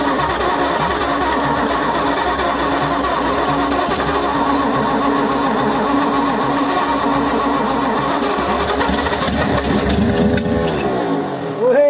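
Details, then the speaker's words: 1955 Ford Zephyr, 46 years off the road, after tapping stuck valves free: long steady cranking drone ending in rising wavering pitch as engine catches and ticks over; sticking valves had prevented starting. "there's a lot of things that worked well there weren't there yeah tapping the valves worked that works just completely just out of the blue that came yeah that worked really well"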